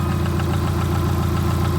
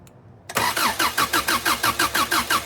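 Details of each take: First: 1989 Subaru GL with swapped-in EJ251 engine at idle, after the bad coil on cylinder four was replaced with a spare: smooth, even low rumble with no stumble or shaking; all four cylinders firing. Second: Subaru GL with an EJ251 Outback engine swapped onto the EA transmission via an adapter plate, on its first start attempt: steady starter cranking about three beats a second, never fires. No start because it is out of fuel.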